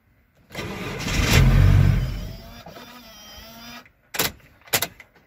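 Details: VW LT diesel (2.5), immobilizer problem suspected: starter spins the engine steadily at about four turns a second for a few seconds but it never catches; crank, no start.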